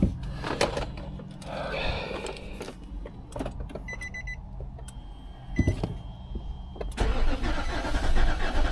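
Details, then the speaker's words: 2015 Infiniti QX80 after a no-crank no-start, first start after ECM work: engine catches after cranking but idles uneven and lumpy, running rough. "Ooh. That engine doesn't sound too good though."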